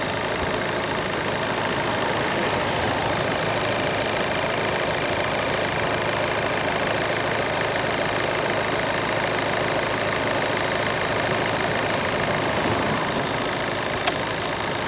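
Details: VW Golf 7 1.6 TDI diesel idling with a dense clatter and a faint, fairly even knock at about three per second; the timing belt is suspected, not confirmed.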